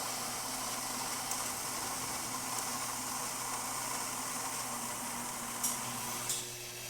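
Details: Gaggia Babila espresso machine after shop service (clogged spouts cleared, tune-up, brew unit cleaned), grinding for one espresso: steady even whir for several seconds, no knocking or rattling, stopping cleanly; the burr grinder runs normally.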